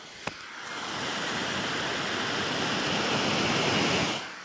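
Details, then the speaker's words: Anycubic Kobra 2 3D printer, part cooling fan at 100%, measured at arm's length: loud steady airy whoosh, then cuts off; 53 dB, a 14 dB increase from the fan alone, loud part cooling fan. "so now we have that part cooling fan set to 100 we'll do the same test arm's length away 53 decibels so that's a 14 decibel increase just from turning that fan on which is kind of ridiculous"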